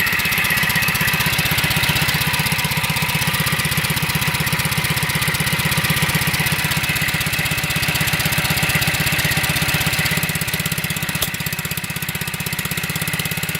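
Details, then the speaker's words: Onboard RV generator under test with no power output: steady, even chugging at about four beats a second under a raspy exhaust; engine speed judged too low and needing to be turned up; low engine speed. "And we gotta turn this thing up. This thing got, no, it's too low."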